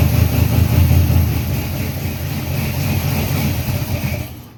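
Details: Freshly built 350 Chevy V8 on first break-in run, oil pressure around 46 psi, timing not yet set; deep, even rumble with no knocks or ticks: normal raised idle.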